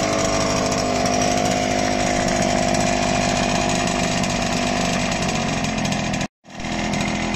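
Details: CNC-machined Zundapp 5-speed two-stroke engine, first start after fitting new clutch and ignition covers: crisp, high buzzing note holding steady with no knocks or rattles; normal running.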